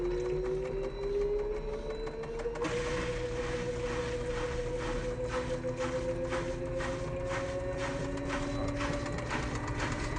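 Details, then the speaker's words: Electrolux LSE09 washer-dryer during spin: rising whine with rough scraping as drum speeds up; not bearing noise but the motor rotor rubbing the stator, attributed to an overheating power module. "Só, galera, que não é rolamento, tá? Não é barulho de rolamento."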